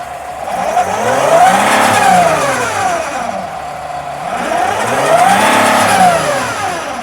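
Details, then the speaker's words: 2013 Freightliner Sprinter 3.0 L diesel in limp mode, losing power; two rev sweeps while watching pressure ahead of DPF, reaching 4 psi versus 1 psi max; DPF clogged and restricted, cleaning unlikely to fix. "It's going up to 4 PSI. Yeah, that's not good. That means that DPF is restricted."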